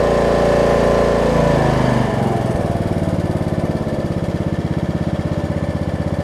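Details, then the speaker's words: Snapper rear-engine riding mower after bad-gas repair, fuel system fixed, oil checked with no fuel contamination: catches on second pull after a rough start, then settles to an even regular firing beat at steady speed; normal running. "i'd say that's a success second pull make sure it runs and or dries and cuts like it should do good"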